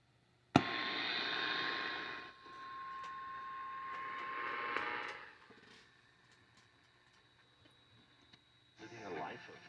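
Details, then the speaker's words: 1952 Coronado 8515A AM/FM table radio, previously serviced, weak reception complaint, before chassis work: hiss and static burst with faint whistle while tuning AM, then near silence, few stations; suspects wrong back antenna. "AM's not great either. Will not do so until There's 600. Held today. 690 not there today. Not much of anything."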